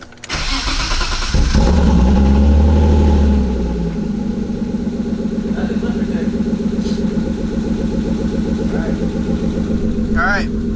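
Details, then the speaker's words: BMW E36 M50 after oil filter housing gasket and VANOS oil line replacement, primed by cranking with coil packs off: cranks briefly, catches, flares, settles to steady idle, no oil light, no knocks; oil filter housing cap then found leaking. "No oil light yet. I'm not. Motoring dead. There's no weird knocks and noises."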